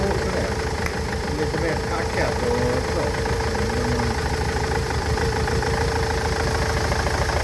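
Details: Nissan Interstar / Renault Master van engine idling with an uneven, stumbling misfire; injectors, fuel pipes and injector wiring loom already replaced, misfire persists.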